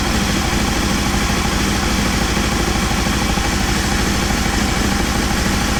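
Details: Aprilia Caponord V-twin at cold start, Tune ECU connected via phone dongle during idle setup with vacuum gauges: steady, even thump at a settled cold idle, no misses or knocks; normal cold idle.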